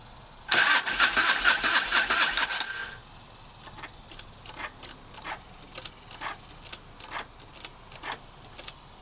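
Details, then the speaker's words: 1997 Harley-Davidson Fatboy Evo, 70,000 miles, Mikuni carb, sat one month with petcock shut so float bowl ran dry: couple of seconds of starter whir, then scattered weak pops that won't catch; hard starting from fuel starvation. "We're almost there. See, the carburetor bowl is empty cuz I always shut my petcock valve off, you know, and let them run a while."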